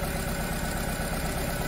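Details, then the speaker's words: Nissan Tiida/Versa misfiring with no fault code, injector 4 disabled with a scan tool: a steady but slightly lumpy low idle that does not change, so cylinder 4 is the dead, misfiring cylinder. "see nothing is happening injector number four i disable it again is happening to the engine performance so the problem is from cylinder number four"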